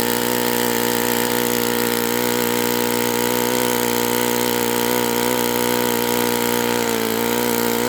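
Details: Enya 46-4C model four-stroke with air bleed carb on the bench, first run at 74°F in humid weather; steady high-pitched buzz holding one speed with a slight burble, suggesting possibly a touch rich.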